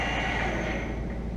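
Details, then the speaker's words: Clausing Metosa Spanish-built 15" x 45" engine lathe, VFD-driven variable spindle started from carriage: steady, even low drone with no knocks, ticks or grinding; spindle runs smoothly, normal. "Spindle start is on the carriage, makes it easy. You hear how smooth it runs."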